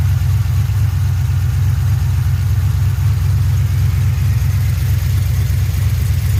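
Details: 2007 GXP with Sloppy Stage 3 cam, first start-up idle after retightening loose front rockers: deep lumpy even choppy lope about two beats a second, no popping; loose-rocker popping fixed, healthy big-cam idle.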